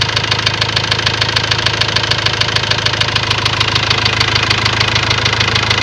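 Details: Ford Transit diesel idling with a sharp, very regular knock at about 200 per minute; codes show a leaking injector in cylinder balance and high-pressure calibration fault; knock source not yet pinned down.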